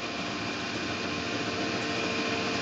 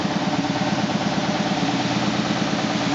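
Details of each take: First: 2000 SCMI Sandya 3 37-inch wide belt sander, one owner with extremely low use, table raising and lowering with digital readout. A soft, even motor hum with no grinding, clunks or squeal: the lift is dead quiet and healthy. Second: 2000 SCMI Sandya 3 37-inch wide belt sander running on soft start: steady motor roar with regular thump about twice a second from a raised taped seam in the sanding belt paper, not a machine defect.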